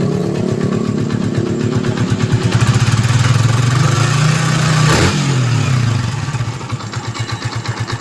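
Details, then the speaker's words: Yamaha Vixion motorcycle after repairing seizure caused by running out of oil, with oil filter replaced: engine picks up smoothly, holds an even note and returns to steady idle, no knocks, no smoke; healthy. "Suara makin halus, nggak ada asap, dan makin responsif. Kompresi padat banget guys."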